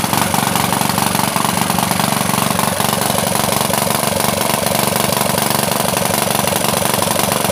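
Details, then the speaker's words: Honda GX160-based water pump engine, submerged overnight in a flooded river, cleaned and oil drained; first run after revival with a broken muffler gives a fast, harsh, rattly popping exhaust over the single-cylinder beat, slightly unstable, carburetor still needs adjusting. "ini cuma kalo dari segi kenalpotnya memang suaranya begitu Jadi akan ada sedikit Hai gimana ya kurang stabil begitu"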